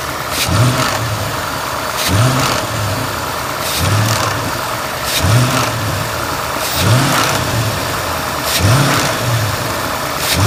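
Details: Ford engine in neutral, standing still, recorded by the dealership technician: brief metallic rattle each time the throttle snaps shut after blips; owner has never heard it and says it differs from his 2000 rpm driving tick; cause unclear.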